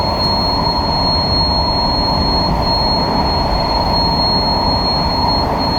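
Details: SMRT KSF A train C151A 563/564, running from Changi Airport to Expo and entering a tunnel. A loud, piercing, steady high squeal rides over the train's rumble without letting up. Wheel screech.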